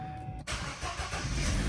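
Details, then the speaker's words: Vauxhall Astra J Copart rebuild with 93,724 miles, previously with no electrical power, first start with no coolant in it; after a brief pause it catches cleanly and settles into a steady low rumble with no misfire. Normal engine start. "Ah, it's already fired up. You little beauty."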